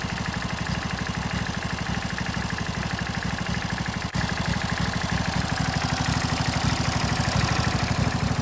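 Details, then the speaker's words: 16 hp Briggs & Stratton V-twin on a John Deere mower idling with a steady, even low pulse of about three beats a second, no misses or knocks and little smoke; smooth, healthy normal idle. "It's like so smooth. There's not really any smoke, which is great. I just love that sound."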